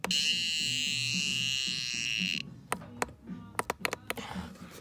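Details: Scale gives a shrill, steady buzz for about 2.5 seconds after being reset, then scattered clicks. Abnormal buzzing alarm; dead batteries suspected, not confirmed.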